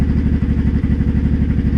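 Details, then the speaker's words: Honda Shadow 500 V-twin idling in neutral with fast, even clattering knocks, getting worse after two months of low-rpm knocking. The cause was broken and loose bolts lacking the Loctite the manual calls for. "yeah that clearly getting worse oh maybe shove your way home and that'll be it for this year cuz that sounds that sounds bad"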